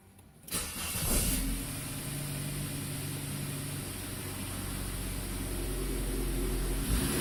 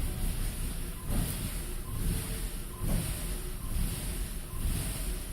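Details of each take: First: 2000 Saab 9-3 SE turbo after refitting the popped-off intercooler exit hose: it catches cleanly and settles to a steady, even idle with one smooth blip. The turbo gauge is now steady and no trouble codes are stored. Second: 2000 Saab 9-3 SE turbo after a loud underhood pop, with codes P1300 and P0301 (cylinder 1 misfire) and a jumping boost gauge. Idle swells and sags about once a second with a nasty smell: a boost leak from a popped-off intercooler exit hose.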